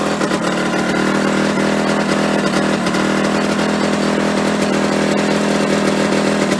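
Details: Yamaha RD125LC two-stroke after standing 17 years: buzzy, steady, fast tone well above normal tickover; idles too high, owner hopes turning the screw on the carburetor side will bring revs down; cause not confirmed.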